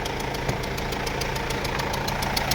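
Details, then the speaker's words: Mercedes-Benz W212 E220 with OM651 4-cylinder diesel, check-engine light on, at idle: loud sharp ticking knock from the front of the engine; mechanic suspects a leaking injector. "ผมคิดว่าเสียงอย่างเงี้ยหัวฉีดน่าจะรั่วนะครับเดี๋ยวมาดูกันว่ารั่วรั่วจริงมยนะครับเดี๋ยวมาดูกันนี่เนี่ยเสียงดังมากนะตอนติดเครื่อง"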